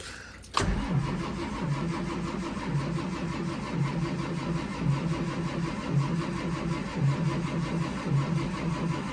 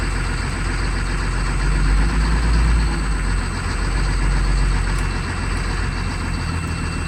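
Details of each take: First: School bus diesel with a HEUI pump, cold start attempt at 23 degrees. Slow, even cranking at about one beat a second goes on without catching. Some white smoke is seen, which the owner takes as injection pressure building toward starting. No start yet. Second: 2004 Blue Bird Vision school bus, 7.2L Caterpillar C7 210 HP diesel, cold started at 23 degrees with jumper cables. A deep, steady, even idle with no misses or knocks. Healthy cold idle.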